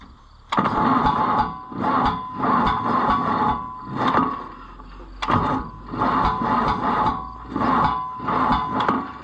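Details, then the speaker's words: Oliver 1450 tractor after its first oil change in years, swapped to the other charged battery: labored cranking under two turns a second, sagging on each compression, never catching; slow crank from a weak battery. "we need to get us a better battery situation because this is just pathetic every single time"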